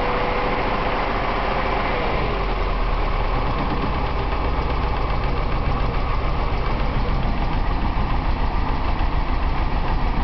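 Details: BMW 318is, M42 engine, after a Seafoam treatment: an uneven, stumbling idle with irregular dips about three a second. This is a misfire at idle; the owner thinks it seems to be running lean, but the cause is unconfirmed.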